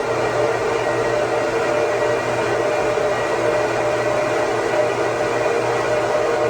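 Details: 2009 Apple Xserve, 2x Xeon E5520 2.26GHz quad, under load: CPU rising from about 29°C, possibly toward 40°C, fans at 5000–6000 rpm. Loud, steady rushing whoosh with a faint whine, no surging or rattles; normal fan noise under load.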